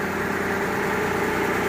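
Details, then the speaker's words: Mitsubishi Galant V6 with misfire codes 21, 53 and 41, after repairing wiring that lacked continuity from the igniter: an even, steady, smooth idle with no stumbles or skips. It now runs normally. "Ayun oh mga kampa umandar na yung ano na okay na ganda na yung andar niya"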